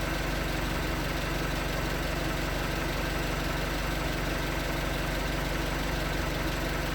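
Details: 2019 Hyundai Tucson 2.0L GDI Nu, 24,000 miles, on Mobil1 5W-20 with a NAPA filter under 1,500 miles old: light, regular knock, about three beats per second, at cold idle. Owner suspects piston slap, not confirmed; switching to 5W-30 only slightly improved it.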